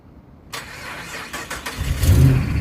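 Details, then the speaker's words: Mopar Hemi morning start, battery checked good: short sluggish grinding crank before the engine catches and rumbles; owner suspects the starter, possibly damaged by heat on a drive back from the beach. "So, man, I believe the starter. I checked my battery and everything yesterday, and everything was good."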